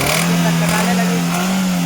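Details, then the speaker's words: Hyundai i10 petrol engine, after cleaning and a tappet check: on revving the note wavers and sags and stumbles instead of climbing cleanly. A faulty injector is overfuelling the cylinder and making the engine misfire. "तो इसमें कौन है friend इसका जो injector है वो direct हो गया है जो कि पेट्रोल पिस्टन को ज्यादा दे रहा है उसके वजह से इंजन कटकटा रही है"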